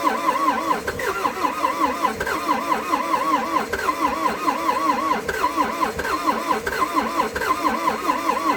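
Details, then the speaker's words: Old abandoned CAT excavator diesel, not run in months, cold day, two new batteries with cleaned connections: long rhythmic starter chug, about one beat per second, never catching; extended cranking, hard start. "i've been down here a few times now trying to fire this thing up and it just didn't want to play bottle"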